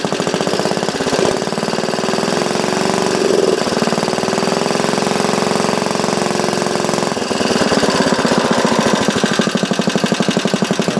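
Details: Small engine clamped to a bench on a temporary gas tank, test run through a newly cast muffler with a baffle sandwiched in: rapid, even exhaust popping at a steady fast idle, crisp and regular, no misses; normal running.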